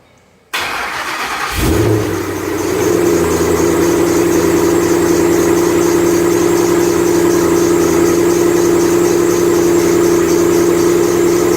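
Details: 2008 Ford Mustang Bullitt V8, 8-rib serpentine belt: cold start the morning after sitting overnight in garage, under 30 miles driven; engine cranks, catches, then idles with a steady piercing tonal squeal over it.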